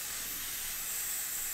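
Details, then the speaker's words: Homemade compressed-air engine mounted in a vise, compressor on, before starting: a steady high-pitched hiss with no rhythm and nothing else running; compressed air leaking at the compressor attachment fitting. "leaking from the compressor attachment start the engine first up should flow in now"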